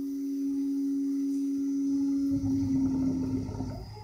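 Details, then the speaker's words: DIY three-phase inverter driving a Nissan Leaf motor on 30 volts, high-frequency injection startup; clear steady tone about 260 Hz, then motor spins up into rougher whir as throttle applied, entering sensorless mode; normal startup. "so it should start making a tone pretty soon and then i'm going to attempt to apply the throttle which is right here and that should get it spinning you can hear the tone starting now"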